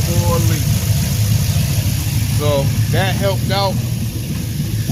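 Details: G-body car with an LS engine and 4L80 transmission, after tuning, fixing leaks and setting rail fuel pressure to 71 while adjusting fuel trim: steady low idle with an even beat and no stumble or miss, voices over it, running clean.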